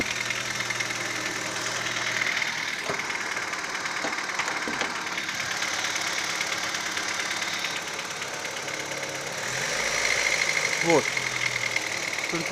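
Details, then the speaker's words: Daewoo Nexia 8-valve engine, warm, around 1100 rpm just off idle: faint, uneven knocks through hissy background, nearly silent at warm idle; owner sure it is not hydraulic lifters or valves; source unknown. "Какой-то странный стук. Это не гидрокомпенсаторы, не клапана 100%. Звук у них совсем другой."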